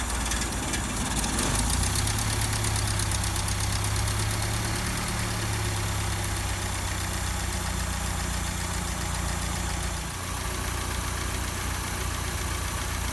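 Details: 1955 Land Rover Series One four-cylinder petrol engine, freshly rebuilt after about 50 years standing, first start-up with rebuilt or replaced SU fuel pump; low, even idle thump about four beats a second, holding steady then easing off, running smoothly.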